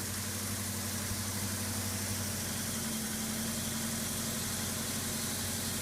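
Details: Subaru EA82T turbo flat-four on Megasquirt MS3x, running after new fused ignition and injection relays are wired in: steady, even idle with a smooth low hum, no misses or knocks; normal idle.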